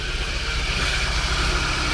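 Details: Chevrolet Celta engine after throttle body cleaning and injector service: steady, even idle with a smooth low hum and no knocks or stumbles, sounding healthy and settled.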